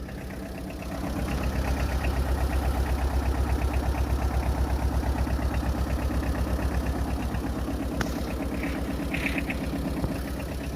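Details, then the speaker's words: Second-hand Tata Ace EX diesel for sale, at idle: even clatter near 170 beats a minute, steady with no odd knocks; owner says the engine is completely fine, though it needs greasing. "একদম পূৰা engine চিল হৈছে গাড়ীখনৰ।"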